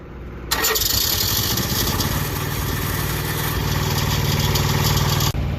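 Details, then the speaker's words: Truck auxiliary power unit (APU) diesel started fully cold: it cranks, catches and settles into an uneven, lumpy, shaky idle. It runs rough until warmed up. "thing sounds like hammered crap until it's warmed up and then it just sounds like crap"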